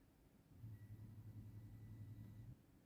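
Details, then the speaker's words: Fuel pump commanded on via diagnostic scan tool actuation test, e.g. to prime after fuel filter replacement: low steady hum from the rear for about two seconds, then cuts off cleanly; normal priming. "So you can just go inside, start parameter on, and you will hear the noise from the back of the fuel pump activating."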